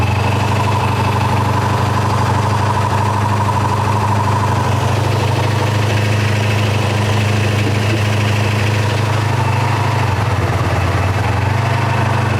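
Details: 1984 Honda VF500F Interceptor after valve adjustment and carburetor rework to stop fuel leaking between carburetors, started on choke: smooth steady low burble at even idle, no stumbles, ticks or hunting; healthy idle.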